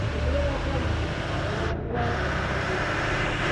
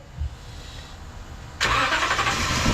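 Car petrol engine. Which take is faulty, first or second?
second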